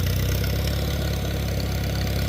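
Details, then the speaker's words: Small farm tractor at auction preview, in neutral: low, even putter with steady firing, no knocks or rattles, revved up a little; sounds good, healthy idle. "Yeah, that's that's nice. Sounds good. Sounds good. Re up a little. Yeah, not bad."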